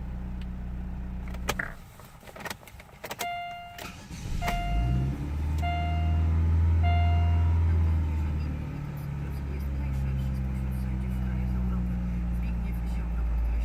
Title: Chevrolet Nubira 1.8, cold start problem